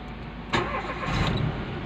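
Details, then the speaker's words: Mitsubishi Mirage G4 after a no-crank no-start, relay double-checked: brief crank, then the engine catches cleanly and settles into a steady, even idle; normal start. "So yun na nag-start na siya."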